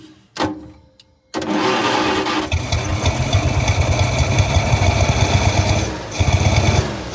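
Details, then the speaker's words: Long-abandoned 1948 Studebaker Champion flathead six, old fuel, mixed gas poured in: catches and chugs unevenly, beat wandering and fading as if starved; won't keep running, fuel possibly not reaching the carburetor. "Okay, well, it's definitely not running on whatever fuel is in it, if it's reaching the carburetor at all, which I do kind of doubt."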